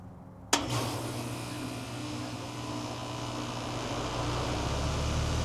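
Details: 3-ton AC condenser on off-grid solar after installing Micro-Air EasyStart Flex soft starter: sharp start click, then steady low hum and fan rush build evenly without struggle; clean soft compressor start.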